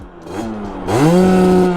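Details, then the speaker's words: Sherco 50 SM two-stroke supermoto after rejetting, previously stuck near 8,000 rpm: climbs to a high steady scream around 10,500–11,000 rpm but sounds soft and blubbery at the top; running too rich, needs leaner jetting. "so it's it's it's too rich now so i kept going up and up and jetting so it's too rich i'll have to go back and jet it but you can hear it's too rich there's 10-5"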